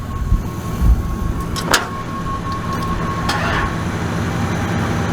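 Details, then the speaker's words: Buick Regal with known wiring problems (fan relays suspected wired backwards, fan stuck on): sluggish churning as the starter drags the engine slowly without catching; a slow crank, with a weak battery suspected and a jump needed. "this a slow crank man slow crank let me try something real quick"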